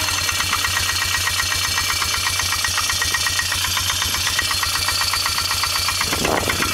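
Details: 2002 Polaris Magnum 325 4x4, just after a cold start; a sharp, regular, loud metallic knock of about four per second rides over the idle; engine knocking.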